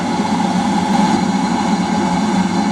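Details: Eberspacher D5W diesel water heater, fully ignited and glow plug off, running in boost mode heating water toward 60°: steady even roar with constant low hum, no surging or popping, burning cleanly at full output.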